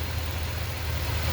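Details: 2020 Ford F250 Super Duty 7.3, with the defective 10-speed transmission, in park: smooth, even low rumble with no grinding or scraping; normal idle, noise occurs only in drive with brake applied.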